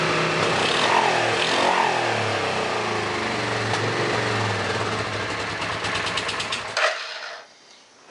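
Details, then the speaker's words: A Suzuki S50 Boulevard 800 V-twin, believed to be a 2006, that sat for years gives a lumpy, gappy beat before dying. It runs only on the rear cylinder; brake clean sprayed into the front carb makes it fire on both. The front carb is fuel-starved and the rear overflows, so both carbs must come off. "So, it's only running on the back carburetor. Adding fuel to the front carburetor makes it run on both. So, there is a lack of fuel flow to the front carburetor and the rear carburetor is overflowing."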